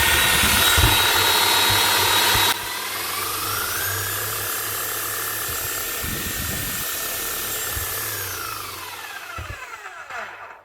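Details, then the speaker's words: 18-year-old (2006) new-old-stock Makita HR5001C hammer, bought non-running, after new brushes: motor spins up to a clean steady high whine, no grinding or rattle, and winds down smoothly; runs like new. "smooth as sulk sounds like a brand new machine unbelievable a € 1,000 machine bought for €100 and a 20 set of brushes put on there and she's up and running"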